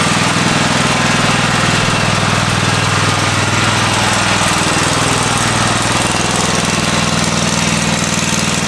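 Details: Free Craftsman riding mower after oil change (oil overfilled); loud steady single-cylinder chug at constant rate, no stumbles or knocks, runs clean and even; normal idle.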